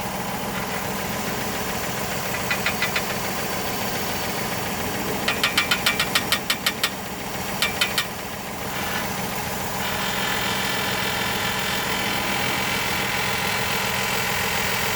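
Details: 2020 Ford Explorer Police Interceptor Utility, engine running: short bursts of quick metallic rattling under the hood. The rattle is also heard inside when under load in gear. Rattle under hood.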